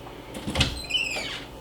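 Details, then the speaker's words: Interior door swinging: soft bump, then a thin high squeak sliding slightly downward from a dry hinge, fixed by oiling the hinges with 3-in-1 oil. "that squeak on every door in your home just coming from your hinges right here"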